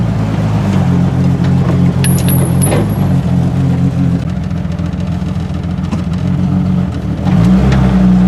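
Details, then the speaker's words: Modified 1989 Jeep Wrangler YJ on a test drive after new rear drum brakes: a deep, heavy exhaust drone stays loud while pulling away and cruising; the exhaust is too loud and will probably be tackled next. "I am going to probably be tackling the exhaust system next because you guys have heard how loud it was"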